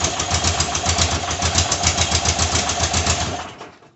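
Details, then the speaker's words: 1982 air-cooled VW Vanagon Westfalia being revived, fuel delivery the main problem, fuel pump running full-time. Lumpy pulsing idle sags and stalls; owner suspects fuel pressure runs out. "Yeah, it doesn't run too long before it runs out of pressure on the fuel, I imagine, eh?"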